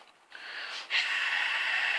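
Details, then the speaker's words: Repaired float (ball cock) valve, tested by hand before refitting in the loft and without water pressure: a soft click, then a steady, smooth airy hiss as it opens cleanly; normal valve opening. "That's it open, right? That's it closed. It sounds good, but we'll not know until we get the water pressure on it."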